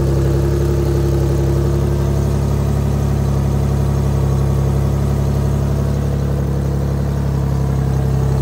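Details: Chrysler/Dodge 3.5 V6 test run after timing belt, tensioner, pulley and water pump replacement (belt had skipped a tooth from coolant buildup, code P0016): even, deep idle hum, steady beat, no ticks, misses or hunting; runs smoothly.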